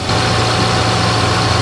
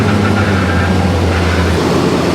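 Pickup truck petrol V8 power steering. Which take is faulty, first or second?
second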